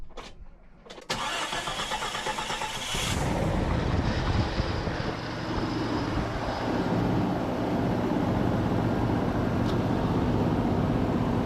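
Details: Jeep Cherokee 4.0 first start after rebuild and reinstall, O-rings replaced; cranks and catches, rough idle with loose rattle; last two bellhousing transmission bolts not yet installed.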